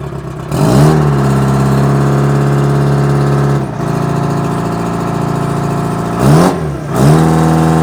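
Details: Old Ruston-Bucyrus/Bucyrus-Erie Dynahoe 190 backhoe saved from scrap, two-stroke Detroit diesel after a perished, leaking part was replaced: strong, even drone climbing cleanly when revved and settling back; normal two-stroke diesel running.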